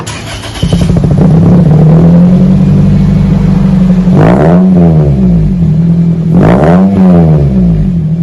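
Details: 2001 Toyota Celica GT 4-cylinder after new axle-back exhaust with Magnapack muffler, stock front, 4-inch stainless tips: smooth idle with mild low rumble, two quick blips rising and falling cleanly, no rattles; healthy exhaust note.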